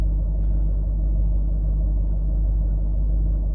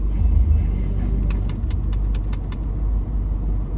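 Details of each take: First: Range Rover L322 TDV8 diesel, formerly idling roughly, after fuel injector and fuel system cleaning with Cataclean, with injector balance offsets within spec: steady, even low diesel rumble with no misses. Normal, smooth idle. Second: Range Rover L322 TDV8 diesel V8 on cold start: deep, slightly uneven idle with faint ticking and mild surging that should vanish once warm; owner suspects fuel injectors, not confirmed.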